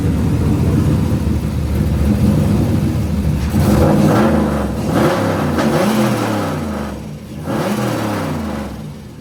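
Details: Nissan 240SX with turbo LS3 V8 after installing a Texas Speed stage 3 turbo camshaft in place of the NA cam: steady idle then several crisp throttle blips rising and falling cleanly, no ticking or clatter; earlier noises gone.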